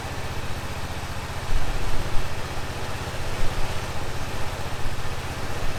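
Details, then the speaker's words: 2005 Honda TRX650 Rincon, 650cc single-cylinder four-stroke, on choke in neutral after a no-run condition: steady low thumping idle with slight swells while warming; firing regularly, no knocks or misses; normal idle. "everything looks normal in neutral oh sounds pretty good huh need to let it warm up"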